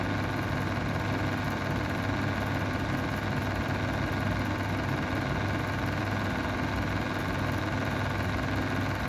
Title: Mistral square window exhaust fan bad bearings